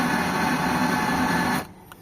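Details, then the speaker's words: Mitsubishi Lancer GLXi that won't start with the key but runs when push-started, with the starter already replaced: a harsh metallic grinding whirr for about 1.5 seconds and no crank, coming from the starter or the flywheel. "So ayan mga bossing nadinig niyo yung tunog ah tunog bakal yan mga bossing na nanggagaling doun sa starter o kaya naman sa flywheel."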